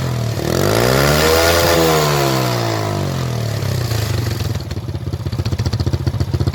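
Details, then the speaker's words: Motorcycle that backfired at the exhaust from an over-rich mixture, after blocking the exhaust air-injection part: revs climb and fall without pops, then lumpy idle; backfire gone, temporary fix, carburettor replacement the permanent one. "พอเสียงระเบิดที่ปลายท่อก็หายไปครับเพราะว่าเราอุดตัวเติมอากาศครับเข้าไปในท่อครับ"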